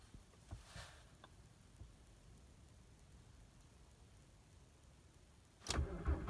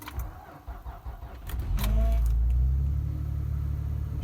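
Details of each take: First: 2003 VW Jetta TDI (ALH) at about -20°C with roughly 20% biodiesel and no oil pressure: steady crank of about four beats a second that never catches as the battery tires; owner suspects biodiesel or poorly working glow plugs. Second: 12-year-old 2007 truck, just over 100,000 miles, sat overnight at about -22°C, low on fuel: brief crank then catches at once, settling to a steady even idle; healthy cold start.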